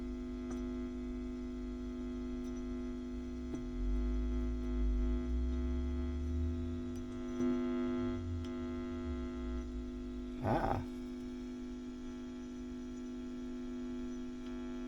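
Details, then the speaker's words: WEM Westminster MK9 10-watt push-pull valve guitar amp, ECL82 outputs, about 309 V plate to ground, during restoration: constant low buzzing mains hum with small clicks; owner guesses the wires, filament wiring poor, cause unconfirmed. "and you can hear with these wires yes so I think that's what's causing that I'm guessing although the filament wires leave a lot to be desired"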